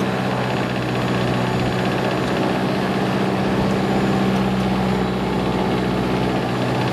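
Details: Lycoming fuel-injected Mooney M20J after a restart while hot, using mixture as throttle: smooth, even low drone at about 650 rpm idle, leaned out, no misses or stumbles. Normal idle.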